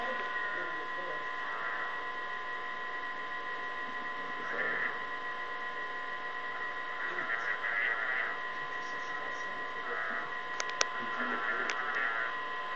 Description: Every so often, I keep hearing these noises from my baby monitor.